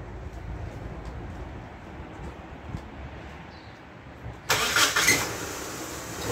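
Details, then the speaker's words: Van engine at cold start after candle wax was applied to the squealing power steering pump belt: quiet cranking, then a short chirp that dies away at once, where it used to squeal 30 seconds to a minute; brief belt squeal. "better I heard a little bit just a fraction of this week when it started"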